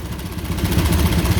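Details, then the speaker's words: Honda Karisma motorcycle with a faulty automatic vacuum fuel tap: struggling, uneven idle that won't hold, then recovers and steadies. The mechanic says the tap alone is the problem and must be replaced, reached by removing the rear bodywork, before adjusting the idle. "jadi untuk kendala motor ini itu hanya dari bagian ini ya tadian bensinnya ini minta ganti"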